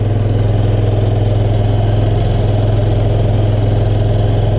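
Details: 2005 Honda Metropolitan scooter after a fuel pump and filter replacement fixed its no-start: an even, low putter at a steady idle with no misses, surging or knocking. Normal idle.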